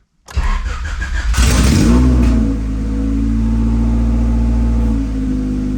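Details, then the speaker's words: 1990 Honda CRX Si DOHC on its first start after a new clutch, flywheel and release bearing were fitted and the transmission reinstalled; it cranks, revs briefly and runs smoothly, quiet in gear with no squeal, so the release bearing squeak is fixed. "good hey so far so good I'm put it in gear out with the clutch oh yeah there we go nice and quiet second [Music] gear and we are rolling out there that is awesome finally"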